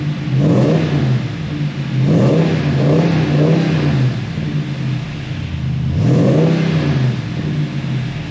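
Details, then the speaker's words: 2022 Ram Power Wagon with dealer-replaced engine after earlier engine problems: clean start, then three smooth free revs rising and falling evenly with no knocks or rattles; normal engine start and rev. "she sounds good bro sounds good"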